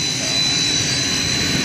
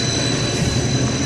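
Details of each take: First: 60 HP hot closed-loop pump on a VFD via a newly installed transfer switch, first run after rewiring: loud steady rushing roar with a thin high whine, no pitch change; running backwards because the three-phase wires are wrong, fix is swapping two wires. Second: 60 HP hot closed-loop pump on a VFD, after swapping two three-phase wires to correct reverse rotation: even, steady hum with constant high whine, no surging or knocking; now turning the correct way, making pressure, running normally.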